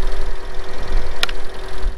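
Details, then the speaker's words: 2012 Hyundai Elantra 1.8L with a new short block from the recall, started after sitting, once a dead battery was fixed: fast, uneven clacking over a rough low idle. Hyundai verified worn CVVT solenoids at the camshaft ends that clack until oil pressure builds. "Hyundai verified that it is the C VVT solenoid on the end of the camshafts that do tend to wear out and when they do lose their oil pressure after sitting for so long they'll make that clacking noise when they start up"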